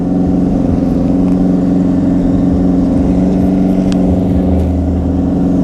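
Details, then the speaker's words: 2009 Yamaha Fazer 600 with WR exhaust tip, warm after riding: steady, fast, even hum that never settles to a slow idle, idling too high once hot; owner suspects fuel bought on the road trip, not confirmed. "eu dei uma volta com essa moto achei ela com aceleração muito alta"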